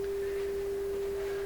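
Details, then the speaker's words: PYE 39HC shortwave broadcast receiver, audio-section check using a signal-generator 400 Hz tone at 30% modulation, radio volume turned down. A pure, steady mid-pitched tone with no buzz, crackle or warble; audio reproduces cleanly. "Sounds pretty nice."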